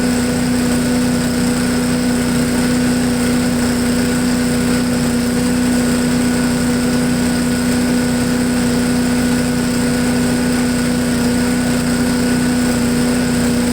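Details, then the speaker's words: MTD push blower with Honda 5 HP engine, sat over two years, running after draining bad gas and refueling; even constant single-cylinder buzz with no hunting or stumbling; normal idle. "well it runs like a honda it idles real well"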